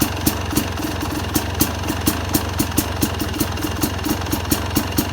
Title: 2st YZ250X PULSER COIL DELAY DEGREES IDLE SOUND(more delay)